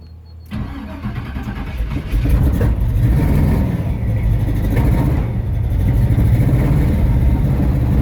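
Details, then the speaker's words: Chevy Nova hot rod ("Misfit") after sitting and a no-start week, restarted after the timing cover was checked; it cranks, catches, then settles into a loud, lumpy, uneven idle with ragged exhaust beats; runs rough, cause unclear. "She ain't happy. She ain't happy at all. Sound like a whole bunch of running though."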